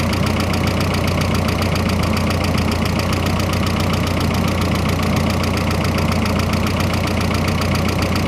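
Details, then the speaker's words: Freshly rebuilt engine on first start-up: a loud, uneven clatter at about 220 beats a minute over the idle, barely quieter with the hood closed. This is a noisy idle of unclear cause; the owner hopes it just needs break-in. "No, it's not much quieter. Maybe she just needs to break in."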